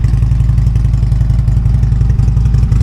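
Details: Harley-Davidson V-twin, cold start after sitting several rainy days: steady deep loping potato-potato idle, even spacing, no ticks or knocks; healthy idle.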